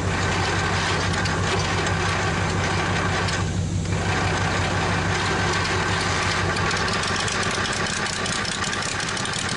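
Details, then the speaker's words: Probably 1947 Worthington tractor with a Chrysler 218 flathead six, just started after decades: a steady, even idle with a smooth low rumble and no misses or knocks, now running on all six; compression later came up to about 90 psi from about 60-70; normal idle. "But it picked up on that six cylinder, so it's running on all six now. We're gonna see how easy it fires up one more time, and then we'll go from there."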